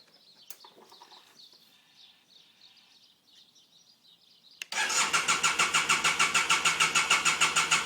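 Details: BMW F800GS motorcycle crank no start: after a quiet spell the starter spins the engine in even pulses, about three a second, but it never fires or catches.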